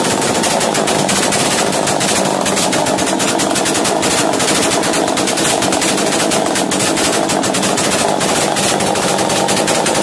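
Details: Chainsaw racing at high idle after starting, following carburettor screw tightening during a starting-problem repair: loud, fast, unbroken two-stroke buzz staying at high revs; idle set too high, lowered via the top idle screw.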